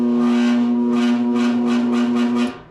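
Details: New HVAC blower motor tested with an undersized 5 µF Titan run capacitor instead of the rated cap: a loud steady low hum with a rough pulsing buzz, dying away as power cuts, and obviously worse.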